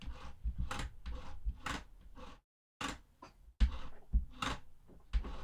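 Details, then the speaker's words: Behringer control surface's motorized faders clicking and clattering as they move while tracks are turned down. The owner plans a felt mod to quiet them. "interface or control surface has motorized faders and they're really noisy I'm gonna have to mod it put some felt in it so that it's not distracting when I open and close projects"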